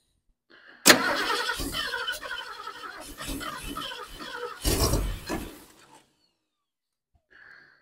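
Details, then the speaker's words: 1972 Ford Ranchero being revived, in cold weather after battery charging and carburetor tweaks; fuel present and timing close: starter turns the engine steadily for about five seconds without catching. Owner suspects an ignition issue. Cause unconfirmed. "we have some kind of ignition issue and uh I'm not sure yet what it is"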